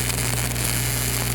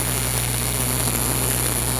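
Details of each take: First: Miller RMD MIG welding on pipe: welder whips and opens a keyhole in the root, and the arc turns to a harsh uneven sputtering crackle over a steady hum, running badly until the puddle solidifies back. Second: Miller RMD MIG welding on pipe, slight drag angle with the wire in the front third of the puddle and no keyhole: even, crisp, consistent crackling hiss over a low hum with no pops, a stable arc.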